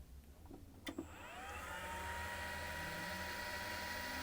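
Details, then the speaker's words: CNC spindle on a Vevor VFD, default ramp settings, clicked run from stop: a clunk, then smooth whine climbing steadily in pitch from 0 to frequency 120 and settling to a steady tone; normal spin-up. "You should see this build up as well from 0 and gradually, as I say, speed up to 120."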